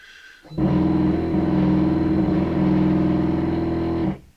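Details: Shapeoko 3 router table's first homing cycle: rough, strained stepper motor drone with a wavering tone for about three and a half seconds, then it cuts out; homing failed, limit switch not found, because setup instructions hadn't been fully followed.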